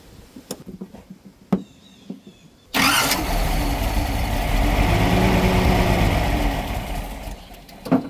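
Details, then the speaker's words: 1978 Datsun 280Z, first running in 30 years on old, varnish-smelling gas, fuel pressure confirmed; a few cranking clicks, then it catches and idles evenly for several seconds before dying; normal idle. "I guess there were enough fumes that built up and it just idled beautifully. Actually, that was pretty awesome."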